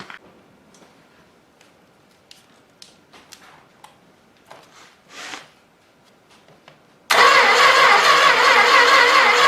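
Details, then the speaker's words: Old 318 engine sat for a long time, starter wire touched straight to the battery to crank faster: quiet with clicks, then a loud rush as it cranks harder and catches unevenly, starting to come to life; slow cranking with intermittent firing. "is well it's starting to come to life"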